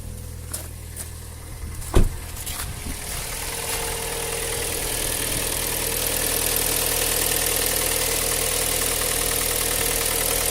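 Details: Cold start: sharp start-up thud, then a busy idle with a faint rapid ticking knock beneath it; knock when cold, cause suspected but not confirmed.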